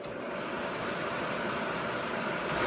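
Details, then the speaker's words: C3 Corvette heater blower motor bench-tested off the car on a 12 V DC supply, switch stepped low to medium: steady airy whoosh rising slightly in level, no scraping, ticking or squeal; normal running. "This way I can test and make sure that the low, mid, and high function of the switch is working. So I hook up power to the switch and then ground to the fan."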